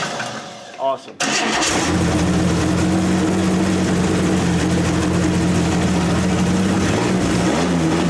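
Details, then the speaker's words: 1927 Hudson revived after seven years unused: after a quick crank it catches and settles into a steady, even but fast idle that never drops; idle speed set too high, to be backed off; points may need setting. "okay I'm gonna wanna back the idol off for a little bit on them see if I can get Idol down"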